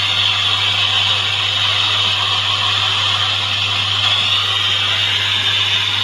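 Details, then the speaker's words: Samsung CRT television with no sound or crackling audio: steady loud hiss over low mains hum, no programme sound, static caused by a faulty audio IF coil that needs replacing, trimming or adjusting. "Oke, kita sudah menyalakan televisi dan suaranya seperti"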